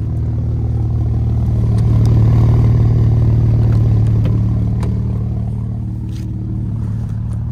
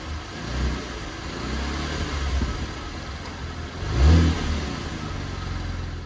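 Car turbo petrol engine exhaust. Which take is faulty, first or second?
first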